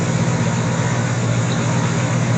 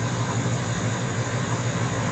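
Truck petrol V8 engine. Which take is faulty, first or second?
second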